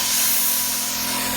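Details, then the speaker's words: Stock VKS launcher turned all the way up with stock 850 tank, shooting around 364 on the chronograph: the stock heat-core O-ring blows and leaks air with a steady, sharp hiss. Stock O-rings don't hold above 30 joules; a square O-ring is the fix. "it hissing? Heat core O-ring, the stock ones, they don't stand up. That's why you gotta put a square O-ring in there."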